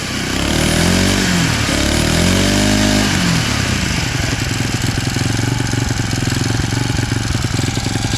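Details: Abandoned small single-cylinder machine, just fueled and started after work, fires unevenly a few times then settles into a steady popping run of about 220 beats a minute; normal running.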